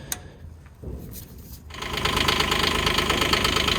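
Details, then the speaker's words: Digger diesel after a 1,000-hour service, fuel filter replaced and fuel system bled with the hand primer, fresh engine oil: short crank, then it fires straight off the key and settles into a steady, even clatter; normal start. "So that's the service done. Engine's running, fired up straight off the key."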